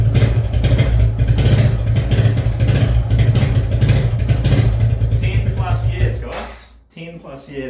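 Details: Suzuki Quadrunner ATV barn find, not started in 10+ years, running after revival, choke eased off: small single revs and settles into a steady, fairly even run before cutting back; runs cleanly and responds to throttle; normal running.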